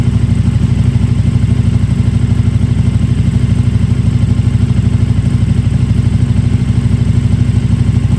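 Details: KTM RC8R with a swapped-in 2020+ 3rd-gen 1290 Super Duke engine and electronics, first start: deep, even, regular pulsing beat about three a second, no clatter or misfire; healthy idle.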